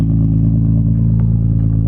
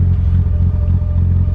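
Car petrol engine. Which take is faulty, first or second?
second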